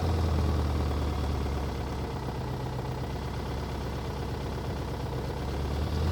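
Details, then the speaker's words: Engine after rainwater entered the intake, possibly hydrolocked, suspected bent connecting rod, after being taken to redline: rough heavy low drone with uneven pulsing beat about four a second; abnormal running noise, cause not confirmed. "she just took a red line it see if it'll good well I don't think it's supposed to sound like that"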